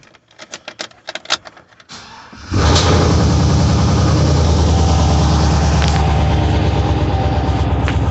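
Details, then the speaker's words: Junkyard 6.0 LS V8 in a 2500 truck on first start after the swap, fresh oil and moly pre-lube: uneven cranking, then a steady idle with light ticking underneath and 40 psi oil pressure. Lifters are still pumping up and quieten soon after. "There we go. I'm hearing lifters, but I've got 40 pounds of oil pressure. We'll see how that goes in a minute."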